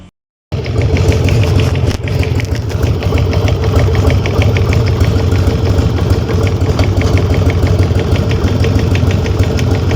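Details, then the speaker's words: Harley-Davidson Sportster on a stand, run up to about 40 mph: sharp metallic ticking about three per second over the V-twin rumble from the front cylinder top end, heard while riding; oil change didn't help. "Вот теперь вы поняли откуда идёт звук а то есть он явно идёт из вот этой части причём слышно его на ходу"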